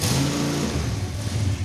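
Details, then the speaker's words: 1970 Dodge Super Bee 440 V8, cold, first run after grounding the fuel pump: catches, then the note wavers and sags unevenly; stumbling because it was on an E85 tune, fixed by removing about 50% of the base fuel map. "This thing was on an E85 tune-up, and E85 requires a lot more fuel than gas, so... We took like 50% of the fuel out of the base fuel map. Bingo, and it runs way better."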